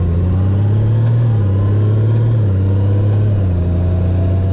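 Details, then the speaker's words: 2018 Honda Gold Wing DCT at 20K miles, test ride after an engine and DCT filter oil change and DCT clutch initialization: engine drone steps down in pitch at each of three upshifts with no clunk or flare, smooth normal shifting. "turn the bike back on start her up and take it for a test drive it's a gold wing you too and now she should shift buttery smooth like she's supposed to"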